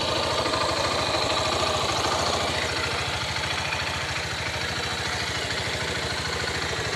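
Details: 2014 Honda CG 150 Titan single-cylinder thumping steadily about three beats a second with a rattly, raspy edge while accelerating; abnormal mechanical noise, cause unclear.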